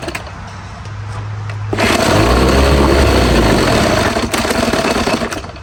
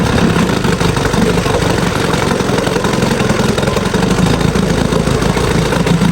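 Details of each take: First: Old Evinrude two-stroke twin outboard after years in storage, first run on a test tank: catches and runs unevenly, surging and sagging, dies without choke and won't take throttle; dirty carburetor suspected. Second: Free Evinrude sport twin two-stroke outboard after years in storage, carb cleaned and new fuel lines, pumping water: steady, even putter at idle with no misses or stumbling; runs smoothly.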